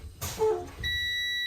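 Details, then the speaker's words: Air brake test on truck, engine off, key on, pumping brakes to drop pressure: steady high-pitched electronic tone comes on and holds, the low air pressure warning signal; stop pumping here. "There, and you can hear it, is our air warning signal. And you need to stop pumping when the air warning signal comes on, not the brake warning light."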